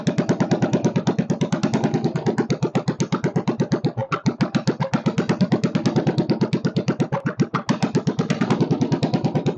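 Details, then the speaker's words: Kohler K301 stationary single-cylinder, first start with a bit of chainsaw gas mix added for lube and fuel pump leaking: putt-putt at about eight beats a second with a slight surge in loudness; idle speed needs adjusting. "she needs a little adjustment on the idle circuit not idle circuit the idle speed I should say"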